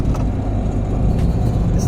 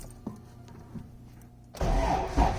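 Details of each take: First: Quiet drive belt after penetrating oil was sprayed on a new eBay 6-rib alternator belt that squeaked and couldn't be tightened further: steady engine drone with no squeal or chirp. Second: Car with a replacement alternator belt that still feels loose and a washer shimming the crooked alternator, on cold start: it cranks and catches, then a faint thin belt squeal rides over the rough cold idle.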